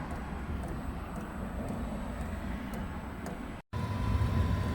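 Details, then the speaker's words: WIPPRO diesel heater newly installed in van in cold snowy weather: steady burner roar with faint fuel pump tick about twice a second as it heats up; running, though exhaust leaks smoke around muffler connections. "There we go. We got the fuel pump ticking."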